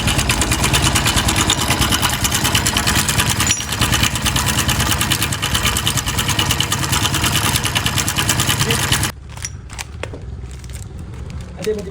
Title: bike engine noise problem#Shorts#BikeRepair#MechanicLife#DesiMechanic#MotorcycleTips